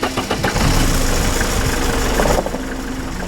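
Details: Old Mercedes after fixing a stiff power steering with loud pump screeching (owner hoped it was only low hydraulic fluid; fluid checked): engine catches and settles into steady rumbling idle, no squeal or whine from steering pump; steering now turns with one finger.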